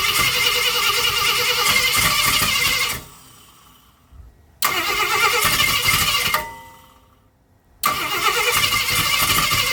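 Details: 1965 Ford Thunderbird during rebuild: steady fast starter cranking in long bursts with pauses, with starting fluid used; it briefly fires once but never catches into a sustained run.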